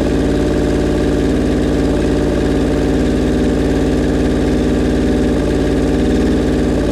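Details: Suzuki Bandit 1200 four-cylinder, cold, at its first start after a rebuild, on full choke with the idle raised: a low, lumpy, hunting idle. The owner says the carburettors are out of whack and not yet synced.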